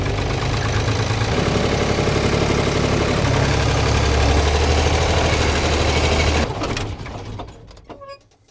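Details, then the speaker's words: Abandoned Ford 3000 diesel tractor that overheated mowing, smoking from the oil breather: deep diesel running with a steady knock about four times a second, then winding down; ring slap suspected, unconfirmed. "my gut says it's the Rings it sounds like ring slap if you'll pardon the pun"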